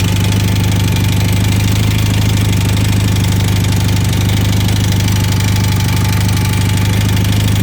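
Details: 1980 Honda CM400T engine at idle: steady low idle with an even rapid tapping about three per second; ticking noise, cause unclear.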